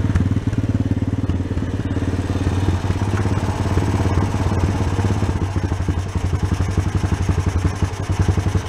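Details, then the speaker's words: Honda Sport Trac ATV single-cylinder after cracked case repair and carb blown out again, gas tank temporarily supported, air cleaner off: steady idle thump about three and a half pulses a second, slightly uneven but holding; running properly. "Oh, there you go. I guess I just missed something in there, huh? That's more like it."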